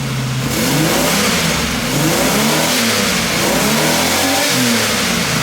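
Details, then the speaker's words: Buick Reatta after fixes, idle around 1,200 rpm with no dash lights (ABS fixed, check engine light gone): clean, quick repeated throttle blips rising and settling without stumble; runs smoother with less vibration, though an exhaust leak remains nearby. "Oh, rev's much quicker now."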